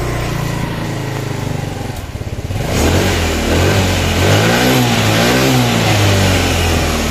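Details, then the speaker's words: Yamaha Mio scooter after restoring lost compression, valve cover replaced, oil residue in exhaust; catches after a rough first start as fuel arrives, then settles into an even, steady putter with clean revs; normal running. "Oke kita matikan dulu ya ini halus guys mesinnya nih ya kita matikan"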